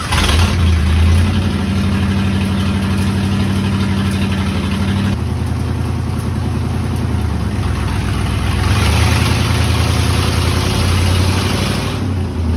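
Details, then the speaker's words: 1971 Ford F-350 dump truck, first drive after long disuse with brakes bled and fuel on; V8 idling and revving with an uneven, rough rhythm; owner suspects something in the bell housing; unidentified drivetrain noise. "What is that sound? I don't know. It sounds like there's something in the bell housing or something."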